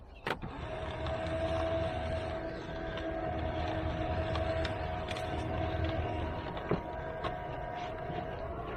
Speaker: Hard to even fit in, and it chews it up. That's unbelievable.